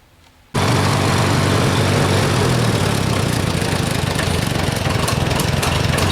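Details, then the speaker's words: Farmall A tractor, carb bowl seat corroded, revved up: catches and runs with uneven, lumpy beat and skipped pulses; misfire, plugs later found oil fouled on each cylinder. "Well, it definitely has a miss when you go to try to rev it up."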